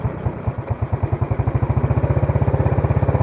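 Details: Yamaha Vega R with freshly rebuilt engine, warm after revving, idle speed just turned up after it stalled from too-low idle: small single-cylinder thumping evenly at about twelve beats a second with no stumble or hunting; idle set right.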